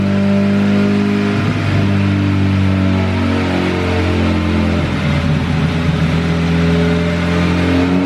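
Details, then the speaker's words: Honda Civic Si, 2200cc turbo on E85, Hondata S300 tune, returning to idle. The speed surges up and down in slow waves. Cause: a vacuum leak from a blown-off line between the back of the intake manifold and the blow-off valve. "all right guys so this thing uh you could probably hear it idle surging when i came back down to idle and i actually blew the vac blew a vacuum line off of the back of the intake manifold that goes to the blow-off valve so when it was it had a big vacuum leak"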